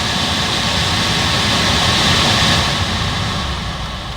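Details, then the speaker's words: 2010 Toyota Corolla LE cabin blower after cleaning out light paper napkins that unbalanced it and shook the whole car: steady, even rush of air, no vibration, normal operation. "No vibration, the vehicle's not vibrating. We have a quiet function, and everything is good."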